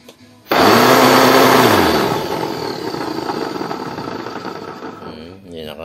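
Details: Home Maker vacuum cleaner, model EV-800-S16: motor starts with a harsh, rough roar that slowly fades; noisy motor from a worn 608Z bearing, fixed by replacing the bearing.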